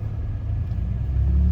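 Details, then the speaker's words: 1999 Lexus ES300 at about 147,000 miles, driving with an exhaust leak and running on five cylinders: deep rumble under acceleration with an uneven, lumpy beat rather than a smooth pull; ignition coil misfire. "You can hear it when you accelerate. It's just sort of like bum, bum, bum, bum, bum, bum, bum, bum, bum."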